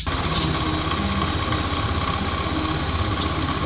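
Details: Honda Scoopy FI scooter after CVT clutch shoe repair: steady, even idle putter with no knocks, slips or scraping; rear wheel no longer turns at idle; normal idle.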